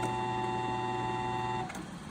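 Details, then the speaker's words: Old Sebastian lathe motor on three-phase from a phase converter, wired up temporarily with an extension cord. It gives a steady, even hum with no knocks or rubbing, runs in both directions, then coasts down smoothly. Normal running. "So that's one way. All right, we actually have both directions operating."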